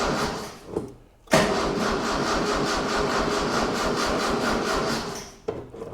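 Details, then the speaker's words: 1976 Mitsubishi Galant with a 2.6 L Astron, cold 4° shed, after a squirt of fuel: steady starter churning about two and a half turns a second for four seconds, never catching. Cranks but won't fire; owner suspects a dead battery. "Sounds like my battery is dead, but it definitely runs."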